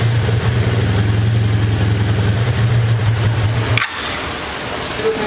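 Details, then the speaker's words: Abandoned 1984 Honda Saber VF700S V4, revived, running at idle after fresh oil and idle adjustment, air box off: steady even low rumble, no knocks or misses; runs cleanly. "i think i got the idle squeeze time so let's crank it up now should have been cooled off with that fresh oil sounds good"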